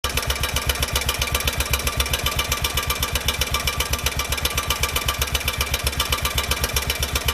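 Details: 2004 Honda Rincon 650 ATV, 1000 miles, recently changed oil: a fast, even clatter of about four ticks a second over the idle, worse on cold mornings and no longer fading when hot; owner suspects the exhaust header, cause unconfirmed.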